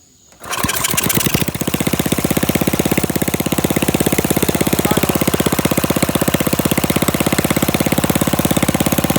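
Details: Flathead Briggs minibike engine after carburetor mixture screw set about a half turn out, slight throttle: fires after brief crank, settles into loud, sharp, evenly spaced open-exhaust popping; runs steadily, normal running.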